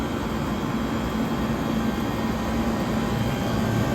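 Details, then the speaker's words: 1978 Comfort-Aire Quietmaster 29,000 BTU air conditioner running on high, not yet cleaned, some air leaks sealed with paper towels: steady even fan rush with faint low compressor hum, no rattles or rubbing; running normally. "but this thing is running fantastic. It's throwing plenty of heat through the coil."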